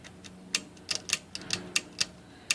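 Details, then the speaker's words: IBM Selectric III typewriter: crisp uneven indexing clicks about every quarter second, with an extra off-beat catch roughly every seven rotations, caused by a worn, grooved detent roller misfeeding the index; the roller is being replaced. "so about every 7 rotations or so it gets a slight indexing anomaly"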